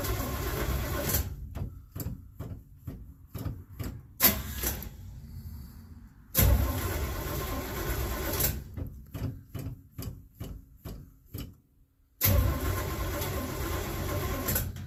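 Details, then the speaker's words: 1967 Chevelle after rewiring with fuses: starter cranks in long bursts with even compression pulses but engine never catches; suspected no spark, gas smell; ignition coil found bad. "have a feeling we ain't got sparked and I smell gas so I'm going to check around on that a little bit"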